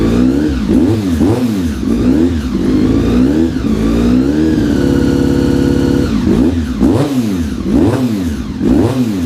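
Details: Honda RC45 RVF750 V4, first start after new spark plugs (old ones very bad) and injectors tested leak-free: revs cleanly through repeated blips with crisp pickup and steady even idle between; healthy.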